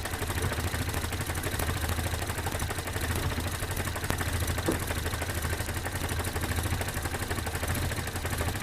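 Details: 1972 Datsun 510, L20B carbureted engine, after new alternator, on stock factory settings, idle being adjusted, at about 470 rpm: fires and settles into a steady, even, smooth low idle with no stumble.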